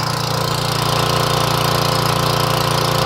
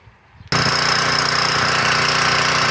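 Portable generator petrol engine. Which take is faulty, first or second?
second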